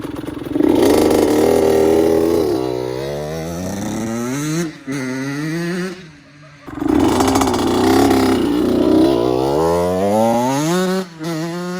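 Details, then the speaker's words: 2002 Honda CR80RB two-stroke after rebuild and carb re-jetting to fix oil blowing and heavy smoke: starts on one kick, low idle, crisp revs rise and fall cleanly through two blips without bogging, hardly any smoke; healthy. "At start, one kick, very low, two-stroke idle. It's perfect. Let you hear it. Hardly any smoke on that. Even on the come down, it's perfect."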